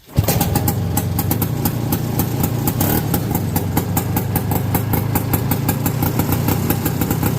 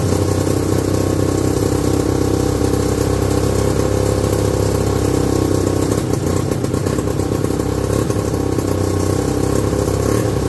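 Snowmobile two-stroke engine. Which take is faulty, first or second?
second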